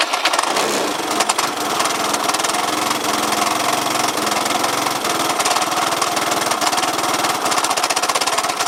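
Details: Yamaha Cygnus 125X FI (150) scooter that won't move, no drive to the wheel, belt possibly broken, FI lamp blinking at key-on: rough, busy engine clatter over a hissy idle, cause unclear.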